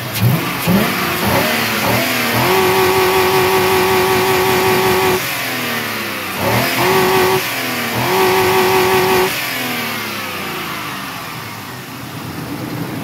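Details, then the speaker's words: Healthy 5.3 V8 revved in the rain, climbing fast and hanging flat at the rev limiter twice, cutting and catching cleanly, then settling down; it shows about 80 psi oil pressure. "now it's my civil Duty before I end this video off to hit the rev limiter for you guys"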